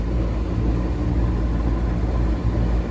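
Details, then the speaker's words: Daikin package unit running constantly but not cooling: steady low compressor hum with no airflow rush, evaporator frosting up; indoor blower motor not running or even trying, and not warm. "It's not even trying to run, nor is it warm."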